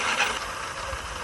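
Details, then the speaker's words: E-bike rear hub motor after crash wiring repair (three-phase wires reconnected), wheel lifted and powered: steady even whirr with light freewheel ticking, no grinding or knocking; spins smoothly. "So I just lift the back wheel up, give it a spin. And you can hear there, it seems to be spinning fine."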